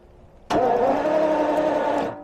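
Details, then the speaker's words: 1977 Jaguar XJ12 after a backfire and breakdown, starter hot-wired at the coil trigger wire to check spark: steady whirr about 1.5 seconds, never catches; crank no-start, spark present, odd marks in distributor cap. "this is the trigger wire to start there so I can sort of hot wire the starter right here and we can have a look there and see if we have any Spark"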